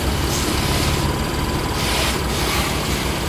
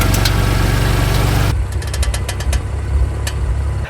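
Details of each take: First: BMW M3 F80 after the front suspension clicking fix, with the pinch bolt replaced using anti-seize and torqued: the engine idles while the wheels are turned, with no clicking, creaking or squeaking from the front suspension. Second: BMW M3 F80: sharp, irregular clicks over an idling engine as the front wheels are turned, from a loose front strut top mount; tightening the top nut does not fix it, a pinch bolt does.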